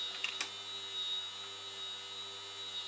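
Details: Small DC motor driven by an Arduino through an L293D H-bridge, speed set by potentiometer; faint steady high whine spinning evenly over low room hum, no grinding or ticking; normal running.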